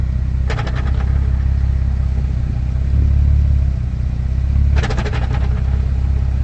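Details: Nissan 350Z with a deep, steady engine rumble broken twice by short bursts of rapid metallic clunks.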